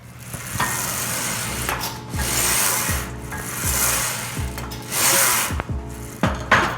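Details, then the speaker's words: Major Fitness B52 Pro Smith machine, steel bar just under 45 lb, guide posts lubricated with silicone, mic placed at the machine: strokes about once a second with soft, even rolling and no rattle under background music. The bearings sound smooth and quiet. "While you can hear the bearings, they're not loud, they're not obnoxious, they're not racketing. Uh the bar moves smoothly."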